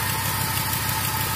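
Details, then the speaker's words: Chevrolet Silverado first start after over six months sitting, battery rapid-charged: steady rough idle with a fast faint puffing tick over the low rumble; not lifter tick but an exhaust leak. "there's not a tick that's an exhaust leak"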